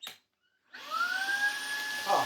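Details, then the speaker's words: Worn used Shark cordless vacuum floor head tested on battery: smooth rising whine settling into steady even hum as brush roll spins up; floor head works, sounds good. "Oh, that sounds good. Marvelous. So, that works."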